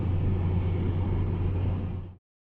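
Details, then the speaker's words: Mazda3 with a previously repaired front end, highway road test: steady even road rumble, no clunks, knocks or rattles; the front and rear suspension noise the customer reported is absent here. "Bizler şu an kontrol ediyoruz herhangi bir ses yok"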